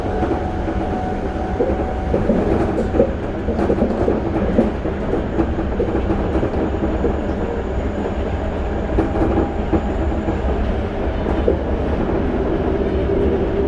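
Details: Toei 5300 series set 5315, Mitsubishi GTO-VVVF, on Keikyu line rapid limited express (Misakiguchi–Kanazawa-bunko), in-car recording: train over rail joints with steady mid-pitched electrical tone and faint high whine, abnormal traction inverter noise.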